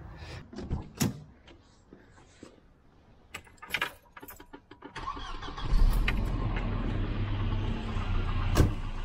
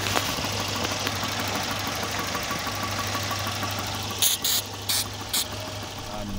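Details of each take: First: Volvo 240 with B230F redblock engine, after a replacement distributor was fitted to cure pinging: clicks, then the engine catches and runs with an even, steady beat and no pinging; normal running. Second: Volvo 240 B230F redblock engine pulling away under load: faint metallic pinging rattle over a steady drone, spark knock from over-advanced ignition timing; seized distributor later replaced.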